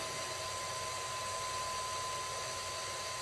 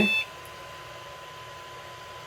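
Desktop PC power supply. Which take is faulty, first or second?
first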